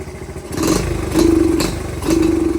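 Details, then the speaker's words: Dirt bike carburetor with the air screw out about a full turn: idle is clean, but throttle blips come up rough and clattery with a stumble; the mixture is off and a smaller pilot jet is suggested as the fix. "Nope. Don't like it, guys. Does not like it. Gotta bump the idle up real quick."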